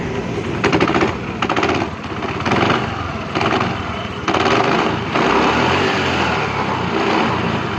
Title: jupiter khtrnak vibration and sound problem